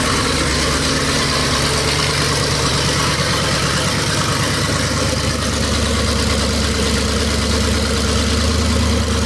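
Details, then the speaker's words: Chevy small-block 350 V8 rat rod at normal idle, just after a turbo cam swap and break-in: loud, steady, slightly choppy idle with a crisp even beat, no knocks or ticks. Runs healthy and crisper than the stock cam. "we finished the rat rod up with a cam swap last night and we got it all broken i'm going to do one more little start up and just kind of show you guys what it sounds like"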